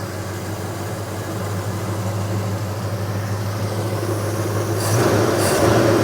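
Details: 1977 Chevy Nova Concours V8 after new plugs, wires, distributor cap, rotor, oil and transmission fluid, with a refitted carburetor gasket to fix a leak and the carb adjusted: steady low rumble, even firing, no misses, knocks or hiss; running better, healthy.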